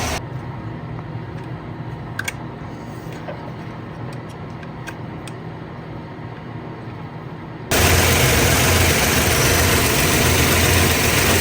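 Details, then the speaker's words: 1965 Plymouth Fury III, 318 Poly V8 with points distributor, dwell reading about 17 against 28–33 degrees spec; uneven loping idle with irregular firing pulses, timing scattered per cylinder; rough idle from worn distributor. "That's each cylinder hitting, and that's the wear of the distributor. They should all be lined up."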